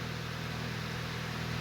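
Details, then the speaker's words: Hyundai Tucson, first start after cylinder head reinstall: idle comes down to a soft, low steady hum with an even pulse and no skips. Normal smooth idle after an initial rough start. "I'm gonna shut it off. Oh, the idle's coming down and it feels real smooth now."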